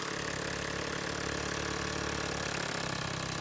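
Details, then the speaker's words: Yamaha 9.9 hp outboard with a new primer bulb replacing one with a broken valve: fast, busy, steady idle at about 3.5 beats a second. The idle is set too high, though the cooling stream flows at this speed; the idle screw is turned down afterwards. "At this speed, it is. But it shouldn't be idling at this speed."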